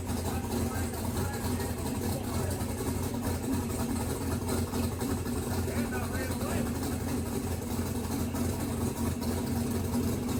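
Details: Mississippi Queen running after splicing a pulled-out CDI 600 wire; exhaust pipe very hot. Even, steady low idle, smooth exhaust note, no tapping or misses. Runs good with good oil pressure; timing not yet verified, a couple of fuel leaks.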